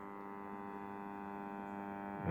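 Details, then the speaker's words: New Zealand Clipper 5M4 valve radio, circa 1954, powered at about 140 volts with the rectifier warming: steady low AC hum with no programme sound, swelling louder; one side of the filter capacitor suspected open, crusted pins. "Okay. Well, listening to that, that definitely sounds like one side of the filter cap is definitely open. You can hear that AC hum."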